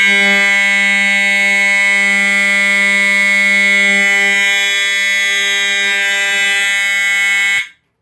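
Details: EST 7577AHS older Integrity horn strobe, continuous only, triggered from a pull station; loud unbroken buzzing horn about seven and a half seconds, then cut off; normal horn tone.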